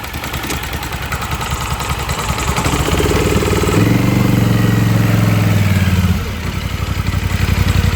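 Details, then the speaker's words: 2024 Polaris Sportsman 1000 V-twin driven deeper into water: idle drops from 1300 to 1200 rpm and stumbles and pops unevenly, missing badly; water is reaching the spark plug and ignition lead and killing a cylinder. "Now we're idling down at 1200. You can hear it missing very badly."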